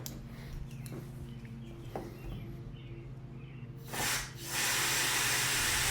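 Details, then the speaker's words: Foxbody Mustang ('79 pace car) rear sunroof drain with air blown through: a steady rushing hiss of air flows freely with no gurgle or choking; drain clear, outlet location unknown. "It's coming out somewhere, too. Again, don't know where it's coming from, but it sounds like it's moving air."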